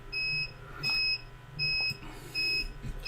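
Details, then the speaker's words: UPS powering a repair bench, on battery: short high beeps about every three-quarters of a second warning of low power, as its aging batteries no longer last. "I might be going the UPS switch I'm running off is complaining about low power now I guess these batteries aren't lasting as well as Hollywood"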